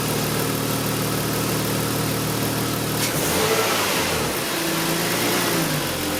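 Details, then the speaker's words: BMW E46 with unstable idle, just after removing, checking and refitting the DISA valve: engine catches immediately, smooth even idle, light throttle blip settles back without dipping or hunting; normal start and idle. "como habéis escuchado hemos arranca el motor no se ha escuchado ningún rapeo eso es muy muy buena señal le hemos acelera un poquito tampoco se ha venido abajo muy buena señal ha arrancado al toque también es muy buena señal"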